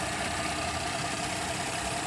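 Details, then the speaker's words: Porsche Cayenne 3.6L V6 at 145,000 miles idling after a multiple-misfire fault was fixed by replacing an ignition coil: even, steady idle with no stumble or skipped beats. "already fixed it was a uh fault the ignition coil and I will post the full diagnostic it's already running smooth clean everything out"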